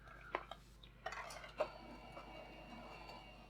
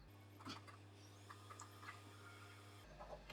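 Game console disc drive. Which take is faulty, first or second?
first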